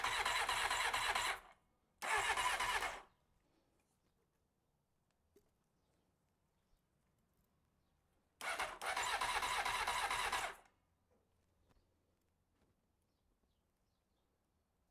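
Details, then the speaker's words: 1993 Honda CBR900RR, first start attempt: short and long bursts of starter whirring but the engine never catches. No fuel is reaching the line from the fuel pump to the carburetors, so the owner suspects the pump isn't pumping. "I don't think the fuel pump is pumping because if it were pumping we have fuel we'd have fuel there in that line after the after the fuel pump line to the carburetors would be have fuel in it we don't"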